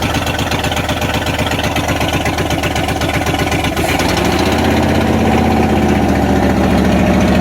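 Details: 1994 Dodge Ram 1500 318 (5.2L) V8 after rodent wiring, vacuum line and fuel pump sending unit repairs, catalytic converter missing: catches and settles to steady open-exhaust beat, then revs lift; runs, possible bad wires or clogged injectors suspected.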